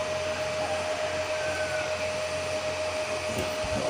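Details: Home-built 15 A CT 55 power amplifier with an MCRD V2 driver, powered via soft start and MCB: steady airy whoosh with a constant mid-pitched tone, no rattle or surging; a bit noisy because of its four cooling fans, which run normally.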